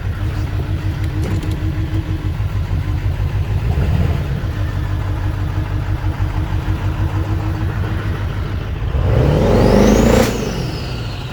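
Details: 2001 7.3L diesel, 330k miles, idling with an uneven, stumbling beat and a periodic dropped pulse, then a brief rev; misfire, cause not pinned down.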